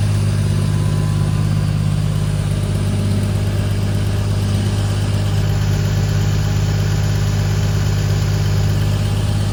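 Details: 1995 Toyota Supra, right-hand drive, 2JZ-GTE swap with big single BorgWarner turbo; deep, steady idle rumble with even beat, no knocks, ticks or hunting; sounds healthy.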